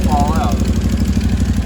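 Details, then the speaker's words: 2013 Can-Am Maverick 1000R idling after an oil top-up: sharp, rhythmic puffing chuff on every firing pulse over the engine note, from a bad exhaust leak where the rear header flange is not bolted down on one side. "So, I was letting it idle and I don't know if you can hear that. There's a pretty bad exhaust leak right there. Then on this side, the freaking header flange is not even bolted in on one side."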